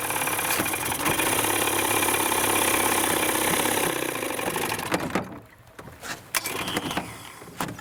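Outboard holds a steady fast idle for about four seconds, then cuts out and dies, as with stale fuel starving it.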